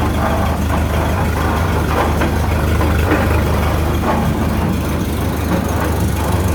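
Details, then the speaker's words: 1929 Ford Model A pickup running on jack stands: loud, rough rumbling clatter from underneath, seeming to come from the rear end and heard even in neutral and after shutoff; owner suspects damaged splatter gears. "it sure sounds like it's coming from the rear into me pull up under here"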